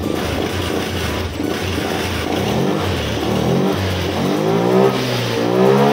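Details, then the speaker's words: Honda Scoopy 2021–2024 scooter after replacing a faulty six-hole fuel injector that caused stumbling and refusal to move: pitch climbs cleanly with each twist of the throttle, no stumbling or popping; normal, responsive revving. "Nah ini udah sangat responsif ya teman-teman Jadi ini untuk tersangkanya itu injektornya yang rusak ya teman-teman"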